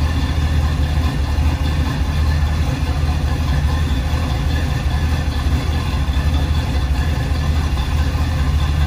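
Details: 1976 Chevrolet K10 Silverado V8 idling outdoors with wind noise after an NP205 swap, rebuilt transmission, new lock-out hubs and a kick-down cable leak fix; steady even low rumble, no knocks or misses, smooth normal idle.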